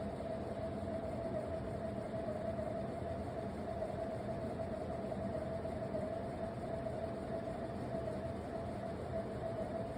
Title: Wobbly/Noisy Big Ass Fans Haiku Ceiling Fan #ceilingfan